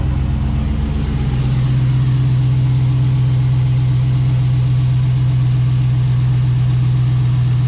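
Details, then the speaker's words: Truck after new spark plugs and plug wires: steady even low idle, smooth unbroken hum with no misses or knocks; running cleanly. "Alright, so everything seems to be good. It seems to be running good."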